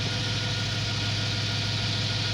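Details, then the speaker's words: 2008 BMW E92 M3 with stock S65 V8 at idle after the initial rev settles; even, smooth low hum with a faint whirring on top, no knocks or misses, healthy normal engine sound. "now you're gonna hear the sort of winding noise my brothers this is what the m3 engine is supposed to sound like"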